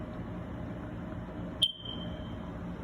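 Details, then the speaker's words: Installed smoke/fire alarm detector chirping intermittently despite new batteries; a single sharp high chirp around 3 kHz over a quiet room, though the unit shows no blinking and looks normal. Fault persists. "but you can see it's not blinking or doing anything like that it looks normal but it's making this sound seems abnormal to me"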